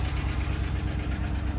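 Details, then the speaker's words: 2017 Cadillac Escalade V8, 107,000 miles, at idle: rapid light ticking over low rumble, following engine speed; lifter failure, blamed on a design flaw rather than age. "Y'all hear? Lifters, baby. Lifters."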